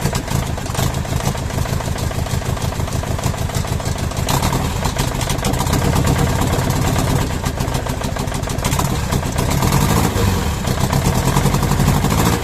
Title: OM611 from W638. First start after changing Bad injectors. One is still bad but is stuck very hard.